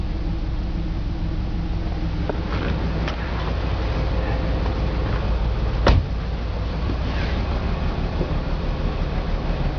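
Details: BMW 325 M54 every-morning cold start: lumpy, uneven idle with misfire codes on cylinders 3 and 5, sometimes 4, plus a strange sharp clack; CCV, plugs, coils, injectors cleaned, fuel filter already replaced; misfire stops once warm.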